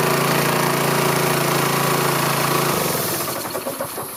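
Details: Rolair gas-engine air compressor with Honda engine, unused for years, running after a carburetor cleaning; small petrol engine runs at an even beat, then the note changes as the compressor loads up, no misses.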